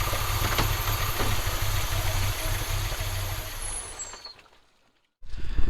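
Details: Audi 2.2 Bosch K-Jetronic, new old-stock Bosch injectors, mixture weakened one turn, started via cold start valve: lumpy irregular chugging, fades, dies, catches again; owner plans removing metering unit to set sensor plate height.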